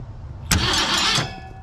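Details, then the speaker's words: 1966 Mustang off the road since at least 1987, first start attempt with power wired straight to the coil: a brief burst of starter cranking lasting under a second that dies without firing. The spark checker shows no spark, though that isn't certain; owner suspects no power to the coil, a brittle ground or a bad distributor. "no sparkles there but I'm not super confident about this yet you know is this even is this even doing the thing over here"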